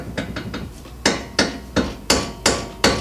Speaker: should not be able to make any noise out of a tie rod end. So now we have found our culprit. She's nice and loose on the end here.